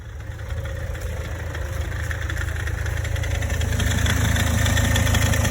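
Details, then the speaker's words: Toyota Corolla E150 at cold idle, a fast, even ticking rattle about three a second, loudest near the front right passenger-side wheel and gone after 1–3 minutes; cause was a worn belt tensioner pulley, not the alternator bearing. "Особенно хорошо это было слышно возле правого переднего колеса с пассажирской стороны. Звук цоканья, как будто подшипник генератора гремит."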